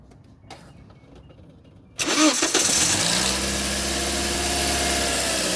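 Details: Toyota Auris: engine cranks and catches, then idles with a steady droning hum from the alternator area, not like a bearing or belt. Failing alternator diode bridge.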